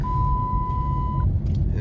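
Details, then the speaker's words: Dodge Charger, restarted and accelerating with random misfires (codes P0300, P0660, P0137): check engine light comes on with a steady 1 kHz warning beep over engine and road rumble; ignition coils and spark plugs to be replaced. "And it beeps, check engine light beeps, okay,"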